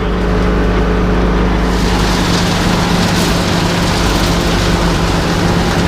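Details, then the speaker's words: IH 51 forage wagon: steady low drive drone with rough crunching as leftover ear corn at one end gets chewed in the beaters while the bed starts pulling silage; ear corn jammed in beaters. "Ah, haha, that's what that noise is. There's ears of corn still in here down at that one end. That's that noise."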